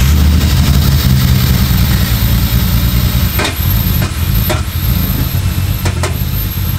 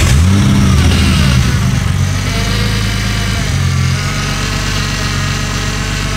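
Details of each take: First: Ford Falcon with Barra engine swap, turbo, 1200 cc injectors on a base map with no proper tune, first start: heavy, lumpy idle with sharp knocks about once a second over the rumble, consistent with an intake vacuum leak upsetting fuelling. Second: Barra turbo six swapped into an EF Falcon, restarted after the MAP sensor was plugged into the intake hole: barks up on a rev, then holds an even idle with the earlier knock gone; normal running.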